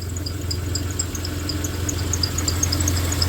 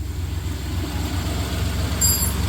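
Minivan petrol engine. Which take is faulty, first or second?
first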